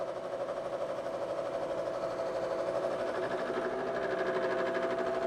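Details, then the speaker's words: Face mill cutting the relief section in pre-hardened D2 on a pass: steady mid-pitched cutting hum with an even chatter of about three pulses a second, no squeal or stutter; normal, clean face milling cut. "This uh face mill is doing a lot better. Doing the relief section now. 25,000 pass."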